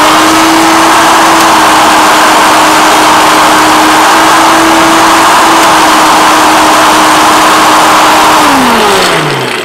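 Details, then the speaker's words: Vintage Hoover Turbomaster Electronic Total System U5096 vacuum, switched from hard floor to carpet setting with temperamental belt shifter: steady motor roar, even mid tone, pitch sags winding down; normal running, brush roll engaged. "That seems to work better that time."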